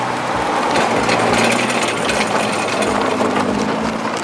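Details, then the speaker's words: Nissan R35 GT-R at crawling speed over bumps, recorded outside the car: loose metallic jingling clatter like shaking coins, sounds like the car falling apart; brake pad pins rattling because no second pad pin retainer spring is fitted from factory. "as you guys heard, that sounds pretty bad. It literally sounds like the car is falling apart."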